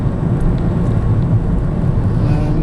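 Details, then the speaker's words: Ford Fusion 1.6 Zetec petrol automatic, LPG-converted (BRC system), low miles, cruising motorway at 55-60 mph and through towns: steady low rumble, no undue noises, knocks or clonks from gearbox or engine; a light rattle is a couple of clips. "it sat on the motorway quite happily and drove through towns happily. No undue noises or clonks from the gearbox or the engine."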